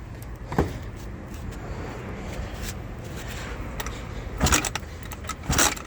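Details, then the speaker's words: Eaton Beamer Matrix 2 scooter kickstart, apparently misassembled by a previous worker and with play in the lever: with the engine not running, sharp metallic clacks sound each time the lever snaps back; the kickstart is loose, rattling on its shaft. "Now I can already tell that when I let this loose, it comes up like that. And you can hear that sound, and there we go again. It's loose."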